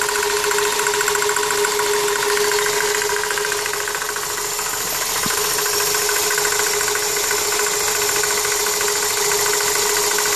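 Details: 1999 Toyota Corolla at idle: uneven light knock close to three a second, seemingly from the power steering pump pulley, which is confirmed tight; owner suspects the pump bearings or the belt tensioner; the knock is intermittent but occurring more often.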